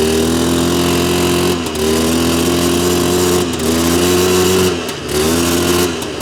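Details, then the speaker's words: 2001 Polaris Xplorer 250 4x4 two-stroke quad in high range, straight gas with working oil injection, after earlier bogging: buzz climbs cleanly, dips between pulls, comes back strong, no bogging; healthy full power. "n she opening up way better she actually had full power there"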